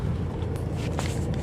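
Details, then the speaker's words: Mercedes GLA 200d driven over rough road after strut mount bearing regreased: steady low road rumble, no front suspension knocks or clunks, noise gone; slight steering rack play remains. "Sound പോയിട്ടുണ്ട്. Suspension sound പോയിട്ടുണ്ട്."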